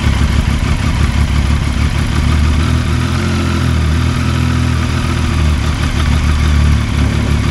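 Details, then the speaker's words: Large-displacement motorcycle at steady low idle with a loose metallic chatter from the primary gear and clutch basket. The noise stops when the clutch is pulled in. It persists even with new clutch discs and springs, and is described as typical primary gear rattle. "Aí se eu apertar a embreagem nesse momento o ruído some porque aí eu paro o conjunto interno como vocês viram e paro o primário né"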